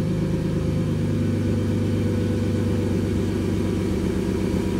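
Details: BMW E30 with a stuck injector, after fitting new NGK spark plugs and coil boots: smooth, even low idle hum, no misses, knocks or rough pulses; quiet, all cylinders firing, normal idle.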